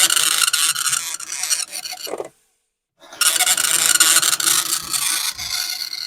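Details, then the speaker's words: Commodore 1525 dot matrix printer for Vic-20/C64, never tested before, self-test after realigning tractor-feed paper, noise cover on: fast raspy buzzing bursts about four a second, short pause between lines; normal printing. "and it is making a feasible noise and in fact here [Music] these things are loud this was the thing that was supposed to protect us from the noise and indeed it does do a little bit"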